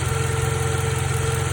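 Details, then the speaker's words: 2012 Toyota Camry idling: a steady mid-pitched whine over a smooth petrol idle, which stops when the alternator plug is unplugged, showing the alternator is failing with age. "hey guys if you hear this wine and noise on your 2012 toyota camry and you want to see what's wrong with it watch i figured that it is the alternator watch this you hear this sound"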